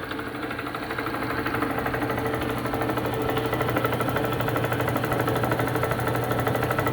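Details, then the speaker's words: Delta saw after about two hours of repair: steady, even motor hum with a light regular patter and no more of the earlier metal-on-metal tapping. Two aluminum tabs had broken off and the hose was cut short and refitted. Normal running. "now the last video I did you could hear this thing tapping I mean it was well metal on metal listen to it now"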